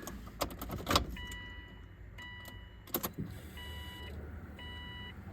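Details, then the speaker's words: Subaru WRX with hybrid EJ 2.0/2.5 engine, before first start after the start map was loaded: a short steady high hum of a couple of seconds each time the key is cycled on, stopping cleanly. Normal fuel pump priming, no fuel leaks or smell. "you can hear the fuel pump priming I'm going to cycle the key a couple"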